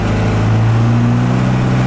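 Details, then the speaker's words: 1990 410C backhoe, 4-speed diesel, in first gear: deep, even drone held at 2,000 rpm shown on the tach, no knocks or misses; the engine sounds healthy. "Wind the motor up here a little bit so you can listen to it. That's 2,000 RPMs right there on the motor."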